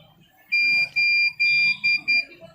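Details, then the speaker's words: Vision 16-channel Eco series DVR, powered on with no cameras connected: sharp, high, steady beeps, about five in two seconds, the recorder's alarm indicating a hard disk fault. "देखिए य जो beep sound है दोस्तों आपको कभी भी जो है आपके डीवीआर से बीप साउंड आता है तो उसका क्या सलूशन आपको दिखाने वाला हूं"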